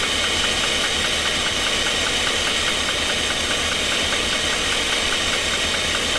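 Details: 2016 GMC Sierra 2500 with a 6.0 engine, bought running with a knock: rough, uneven tapping at roughly two beats a second over the engine, still present with one bank's injectors and spark disconnected; owner leans toward a lower-end cause, not yet found.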